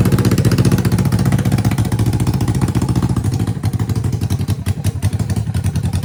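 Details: 1980 Yamaha XS400 Special twin, first start after sitting, previously died on the road, no mufflers: very loud raw rapid popping, fairly even and steady; runs well, just open exhaust.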